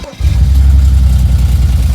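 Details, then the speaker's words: BMW N54 E91 335i wagon at idle with code for combustion misfire on cylinder 1. After clearing codes it sounds a little better, but a deep, uneven idle still stumbles every few beats and the engine light returns. Cause traced to a faulty ignition coil. "even though it sounds a little better you can still hear that the car has a misfire just a little top you can hear the car has a misfire"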